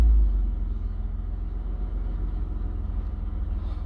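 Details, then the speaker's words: 2003 Mitsubishi Eclipse GTS after mass air flow sensor replacement for code P0102, previously surging and near-stalling while driving; in neutral, low steady rumble settles evenly after start with no hunting or surging; smooth idle and rev response now. "it definitely feels a lot better so far. Before, the RPMs, they would go up and come back down."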